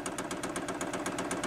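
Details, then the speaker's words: Newly fitted Chinese diesel heater with backup battery, priming the fuel line with no burner running: quick even dosing-pump ticking about eight per second, pump priming normally. "that's pumping so I'm guessing that's priming it it's doing something anyway it's timed on this"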